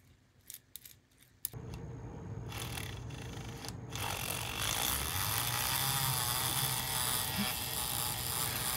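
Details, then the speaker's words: Arbour Models kit locomotive after brass tubing bearing inserts replaced lead-solder bearing surfaces: handling clicks, then small motor spins to a light, even whir with no catching or binding; running smoothly. "I think I got things right so it seems to be working pretty smoothly so far"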